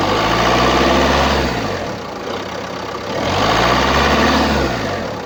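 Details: 2017 Opel Combo X12 1.6 diesel (A16FDH, 77 kW), 331,104 km: idle with a rhythmic, surging drone rising and falling every couple of seconds; caused by a clogged diesel particulate filter.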